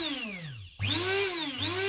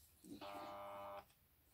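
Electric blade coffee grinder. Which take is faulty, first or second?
second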